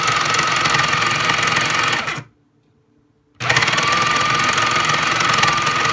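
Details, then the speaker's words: Breville Smart Grinder Pro grinding beans: rapid, regular knocking of nearly four per second over the motor hum. It stops briefly and returns unchanged, as it has sounded ever since a rock got into the grinder. An abnormal knock. "okay still doesn't sound good which is how it's sounded ever since we initially got the rock in there"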